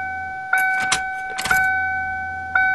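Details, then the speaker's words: 1994 Ford Taurus wagon whose tank fell out and unplugged the electric fuel pump, now reconnected and refuelled: steady thin electric hum under handling clunks, pump quieter as it primes and sucks gas normally. "oh the fuel pump is sounding quieter so sounds like it's sucking gas"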